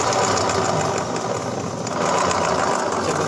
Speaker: Oke Guys ini kita kita kedapatan motor Vario Tekno ya guys ini permasalahannya bunyi kemlokor nih guys di daerah CVT